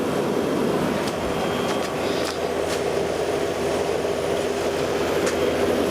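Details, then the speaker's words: Vintage Pope Dove window air conditioner after regas with R152a refrigerant, drawing about 5 amps; steady even fan rush and low hum with no rattles, hissing or cycling, refrigerant heard bubbly boiling through everything; normal running. "you hear bubbly boiling here it's boiling through everything"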